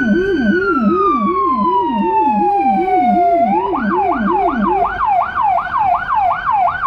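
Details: Emergency car in Budapest with a Federal Signal Rumbler (pulsing 180–360 Hz) beside the high-pitch siren, recorded from inside. A deep, fast-swooping low tone pulses under the high wail and yelp: both working.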